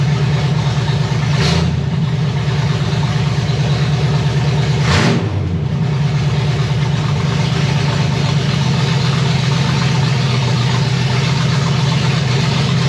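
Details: 1965 Chevy Nova wagon, 327 small-block V8 with Edelbrock Performer RPM Air-Gap intake, first fire: deep, lumpy, steady idle on open headers with no knocks or misses, 30 lb oil pressure, water temperature about 180°F, fans cycling at 190–195°F. Normal idle.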